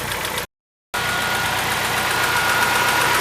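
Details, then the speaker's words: Car engine at warm idle with the radiator fan running: fast, even ticking about four a second, like lifter noise. Could be lifters, a knocking piston pin, valve clearance or a cylinder head fault. "Às vezes tem um barulho aparentemente de tucho mas esse barulho pode ser até um pino batendo de pião como também um defeito ali no cabeçote"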